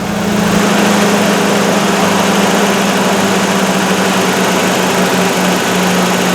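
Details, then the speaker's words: Toyota 22RE replacement long block from a '92, truck at 204,138 miles, good oil pressure, quiet exhaust: even petrol idle with light steady injector tick over smooth hum; engine sounds healthy. "exhaust is quiet sounds quiet oh my God I think I can even hear the injectors"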